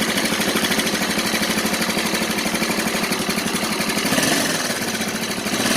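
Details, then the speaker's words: Yamaha Mio Soul scooter idling very noisily, fast harsh clatter over a busy top end; engine also burns oil and smokes, cause not yet found before teardown. "Disini di hadapan saya yaitu ada garapan Yamaha Mio Soul yang dimana motor ini kalau dihidupkan itu berisik sangat-sangat berisik sekali"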